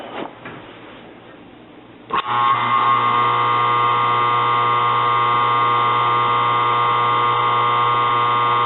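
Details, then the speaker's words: Used washing-machine motor from eBay, hotwired on the bench: thump at switch-on, spins up to an even speed with a steady electrical buzz over its hum; sounds good overall, buzzing cause unknown, unlike the previous motor. "I got it hotwired. Sounds good. Don't know why the buzzing sound."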